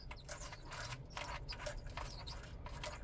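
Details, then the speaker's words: Jeep at a red light: short high-pitched squeaks and light rattles in quick bursts over a low idle rumble as the body rocks; noise occurs on hard turns or bumps. "The squeaks and rattle noise when I turn or hit a bump."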